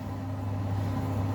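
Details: 5 kg Simpson clothes dryer after rear bungy belt replacement: even low hum with steady airflow rumble, no knocks, squeals or scraping; fixed, running normally.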